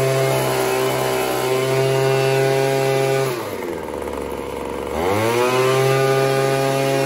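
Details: Craftsman 25cc two-stroke leaf blower that bogged when the trigger was squeezed, after turning the carburetor adjustment counterclockwise with a D-shaped tool: a high buzzy note holds steady, drops as the throttle eases, then climbs back cleanly without bogging. Running properly.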